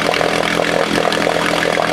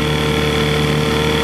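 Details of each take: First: 1968 Johnson 6 hp outboard running: small two-stroke buzzing hard and steady with a rattly, raspy edge; the noise was traced to a specific part, not something under the flywheel as first suspected. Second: 1968 Johnson 6hp two-stroke outboard on a test stand after speed adjustment screw was turned in to lean it out; smooth even buzz with steady pitch, no misses or surging; running cleanly.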